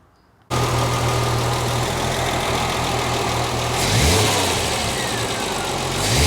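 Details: 1973 TVR 2500M after leaning both rebuilt carburetors with a Gunson Colortune: steady, even idle with a smooth low beat and a small rise around four seconds; carburetors balanced and running right.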